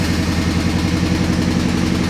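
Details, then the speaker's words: 1988 Honda CRX Si with B18C Type R swap, first start, exhaust disconnected: loud unmuffled lumpy idle with recurring stumble, knock-like; a misfire from one cylinder dropping out, dash code 16 injector fault. "It really sounded like a knocking situation. It was exaggerated because the exhaust isn't hooked up, but it ended up being a misfire. And I did get a code 16 on the dash. That is a injector issue is what it was saying."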